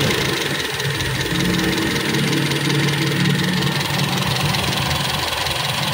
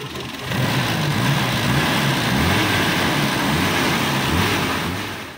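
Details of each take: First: Toyota Kijang Super carbureted engine after overhaul (stuck tappet and combustion-chamber leak fixed), carb still needing work: steady even idle with constant hum, no knocks or stumbles; idle now smooth and even, healthy. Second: Toyota Kijang Super, first start after engine overhaul, cold: catches and idles with a slightly uneven, lumpy beat about 2.5 pulses a second; owner attributes roughness to oil not yet fully circulated, valves to be adjusted when warm; rough idle.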